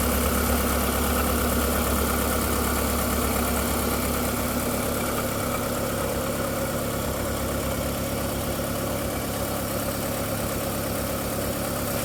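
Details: VW Golf 4 1.6L 16v 105 hp petrol idling with fairly regular light clacking, about four per second, over steady hum; startup whistle fades after 2–3 minutes, owner suspects timing side. Clacking noise at idle, cause unclear.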